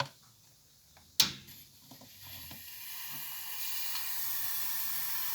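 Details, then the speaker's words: Central-heating radiator that stays partly cold: the bleed valve is opened with a key, then a steady airy hiss of trapped air escapes, to continue until water comes out. "gördüğünüz gibi fısırtı sesi bu ne zamana kadar bu gelene kadar bu işleme devam edeceğiz zaten su geldiğinde göreceksiniz siyah üstü gelecek"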